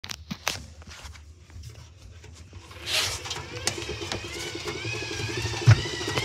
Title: Hoover dymanic next 7kg | a problem while spinning the drum. Making popping noises?